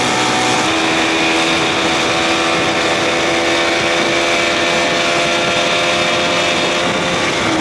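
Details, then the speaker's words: 1979 Evinrude 55 hp outboard after reed valve inspection and compression test, with the original carb refitted; it had been over-revving at idle, and the owner suspects a stuck ring loosened. Pitch drops off throttle into a steady, smooth idle. "all right let's see what happens boy she sounded good that's that sound i look for coming down off that throttle i hear that nice and smooth"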